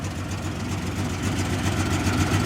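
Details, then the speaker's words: 1996 Jeep Cherokee, 131k miles, long parked, two injectors suspected not working: low, throaty idle with a rough puffing edge in the exhaust note, steady with engine speed; leaking exhaust, no fuel leaks. "take a look no exhaust or no no uh yeah leaky exhaust but no gas leaks"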